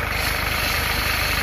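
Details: Mitsubishi L200 diesel idling steady and even after the steering pump noise fix (new hose), no whine or groan from the power steering pump; runs clean and healthy.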